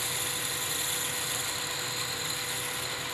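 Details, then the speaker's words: Upside-down left-hand Sandvik CoroCut QD parting blade with 2 mm inserts on a 1972 Weiler Matador SV lathe, parting thick material. Even, steady sizzling hiss with no chatter or judder; a smooth, clean parting cut. "as you can hear there is no chatter it just makes a sizzling sound and there it goes"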